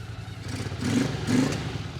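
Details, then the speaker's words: 1981 Honda CX500 V-twin after a carburetor adjustment; it breaks up a little, owner thinks the carbs could be cleaned, but it improves with riding. Blips up and settles with an even, lumpy beat, no knocks; normal running. "Perfect. So it's actually breaking up a little bit. It seems like the carbs could be cleaned out, but the more that I ride it, the better it's actually getting."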